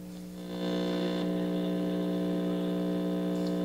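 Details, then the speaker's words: 1964 Star-Lite vacuum tube radio, out of its case, on FM between stations: steady low mains hum, unchanged throughout, also present on AM but masked by noise; hum still to be fixed. "so but the hum is there i can actually hear it so i want to do something about it"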